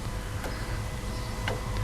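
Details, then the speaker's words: Mazda BT-50/Ford Ranger 3.2 or 2.2 diesel with P244C/P2463 low exhaust temperature codes: fuel dosing pump pulsed with earth gives three sharp irregular clicks over a low hum, drawing about 2.7 A; only a dribble of fuel, pump output suspected weak. "i'm sort of giving a pulse earth on that pump and you can hear that pump clicking and it's showing me it's drawing about 2.7 amps of current"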